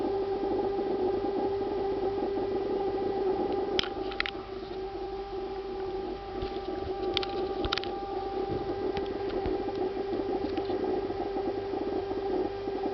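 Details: Refrigerator giving a steady, unwavering, siren-like mid-pitched whine with a higher overtone, lasting about two minutes; owner considers it abnormal, cause not pinned down; the ventilation fan starts up afterward.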